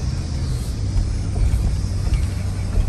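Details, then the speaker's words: 1999 Chevy Tahoe driven in four-wheel drive after front differential replacement: deep even road rumble and wind, no whine, clunk or grinding; earlier noises gone, normal four-wheel-drive operation with a healthy front differential. "it's all smooth it wasn't doing any of that guys it was over and now i'm in four-wheel drive"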